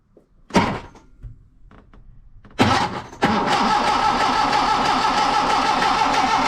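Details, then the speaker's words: Hillman Superminx after replacing the fuel pump to block gasket for an oil leak, fuel lines reconnected; cranked on the starter solenoid to prime the pump, then on choke two short cranking bursts, engine catches and settles into steady, even running. "we'll just turn it over with the um starter solenoid the the the ignition's not on we'll just um see that fuel pump fill up"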